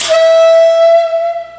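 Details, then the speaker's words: Air compressor regulator whistling: clear steady high flute-like whistle when air is turned on, fading as pressure settles; does it constantly with tools; cleaning a piece quiets it temporarily; faulty regulator, to be replaced. "like that and when I'm using tools it'll do that all the time so I need to get me a new regulator"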